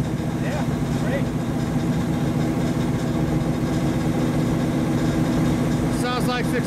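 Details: 1935 Chevy Master, newly installed 409 stroker V8 at first start-up on jack stands running in the differential: lumpy but even idle firing steadily with no knock, tick or misfire; oil pressure and temperature good, so the idle is normal.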